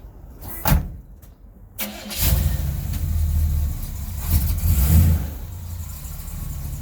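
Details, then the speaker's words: 1969 Chevy Caprice with a 427 big block, which lost half its power after a hard run; carb and fuel pump were changed. It cranks briefly, catches and revs cleanly with a deep, even burble. Normal start and rev; the fuel pump is believed to have been the fix. "She's good to go. This is cool. It's fucking... I think it's fixed. It was just a fuel pump, you figure?"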